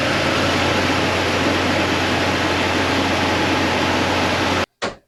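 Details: 2000 Jeep Cherokee XJ 4.0L remanufactured engine, first start after reinstall with a new flywheel (a cracked flywheel caused the earlier knock) and exhaust reconnected: steady, even idle with a low hum and much hiss, no knocking.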